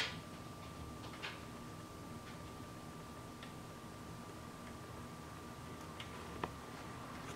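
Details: Howard Miller 61318 clock, key-wound Kieninger Westminster chime movement, pendulum connecting piece bent at elbow: faint ticks at uneven gaps about one a second, no steady tick-tock; out of beat, won't keep running.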